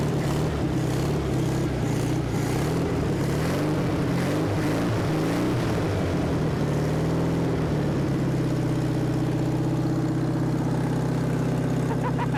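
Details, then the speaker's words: Abandoned 1974 VW Thing air-cooled engine, first start since about 1989: rough, uneven beat at first, then a steady low thrum at about four beats a second, running well. "that's hilarious there's nothing left of this car but it runs awesome it's just too exciting when something that's been sitting that long comes back to life"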